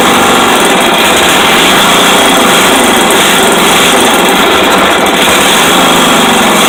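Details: Rebuilt 5hp Briggs & Stratton flathead single with a good used rod, throttle zip-tied open, about 100 psi compression, first run on the bench: fast, steady, even running with no knocks or misses; healthy.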